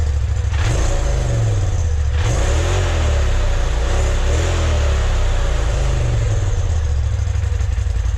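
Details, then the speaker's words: 2020 Polaris RZR Turbo S Velocity on stock exhaust, before Trinity stage 5 slip-on install: deep, throaty exhaust rumble swelling with a few throttle blips then settling, even and clean; normal revving. "Before we get too far into this, I'm going to go ahead and do a stock exhaust sound so you guys can see what it sounds like before and after."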